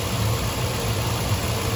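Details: 2004 Chevy Tahoe that would not start (suspected fuel pump/no fuel), finally started flooded with throttle held wide open, fuel pressure 40–45: steady, even low idle with a smooth, unchanging rumble, no misses or knocks; now running fine.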